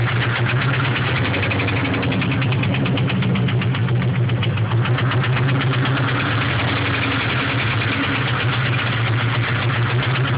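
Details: 1996 Ford Mustang SVT Cobra with stage 2 cams, 81,000 miles: rough V8 idle with a sharp, even knock keeping time with engine speed; started suddenly at 40 mph with power loss, no check engine light; suspected rod knock, unconfirmed.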